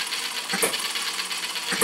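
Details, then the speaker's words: Retrol HM-01 7cc four-stroke horizontal hit-and-miss model engine: light mechanical clatter with a sharp pop roughly every 1.2 seconds, evenly spaced firing; purring along nicely, running normally. "well there it is purring along nicely isn't it a beautiful little engine"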